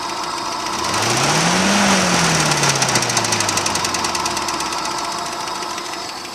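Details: Engine 417 revving up and down with a steady, fairly even knock at about four per second over the running engine; source unconfirmed.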